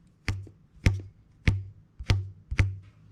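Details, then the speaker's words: Ferrari engine for a 914 swap, not run in a long time: plucking the short span of each of the two timing belts gives low twangs at slightly different pitches; belts out of tune with each other and aged out from sitting. "right they're Out Of Tune relative to one another forgetting if they're tight enough uh these belts at the very least have aged out"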